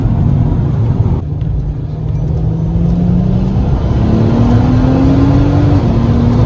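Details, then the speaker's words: MK5 Golf R32 Turbo (VR6), just over a quarter tank, after new fuel pump in second-hand sender: engine note climbs smoothly under boost through the gears with no stumble, cut-out or pop; fuel starvation issue solved. "let's give it a quick go and see what it does ready yeah definitely no issues there so I would say there 100% solved my fuel start basing issue"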